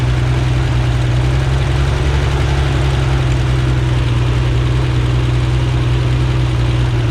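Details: Rebuilt Corvair flat-six on a test stand outdoors, checking oil pressure and carburetor synchronization: deep, steady idle hum with smooth even low drone, no knocks or misses; normal idle.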